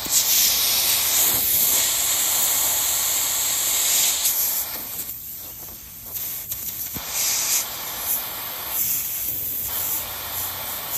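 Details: Goodman heat pump at apartment complex that lost all its refrigerant: sharp steady hiss of pressurized gas escaping where a shorted wire blew a hole in the refrigeration line, geese and birds in background.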